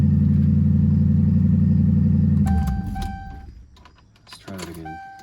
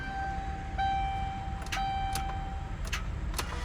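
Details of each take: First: Ford Crown Victoria after a repair: low drone, then the engine cranks strongly and catches quickly on each restart and settles; an odd noise at the end of the start, but it starts powerfully. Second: Rusty Ford Crown Victoria, long parked with dead battery, jumped and driven, then stalled; with plenty of battery power, key turn gives warning chime and one good sharp click, no cranking; failed starter, tow called.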